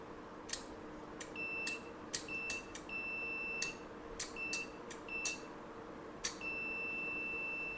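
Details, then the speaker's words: Relay removed from an inverter AC outdoor PCB, contacts on a multimeter in continuity mode, coil powered by a 9V battery: steady beep with a click when energized, stopping on release, so the relay is OK. "और यह beep की आवाज आ रही है। छोड़ दूंगा। Beep की आवाज खत्म हो जाती है। मतलब के यह रिले ओके है।"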